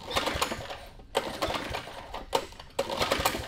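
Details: 1972 Sears Roper mini bike, Tecumseh HS50 5 hp flathead, choked with fuel through a filter. Pull-start rattles about every second with no firing; owner suspects a stuck carburetor float (gasket dry-rotted), not confirmed.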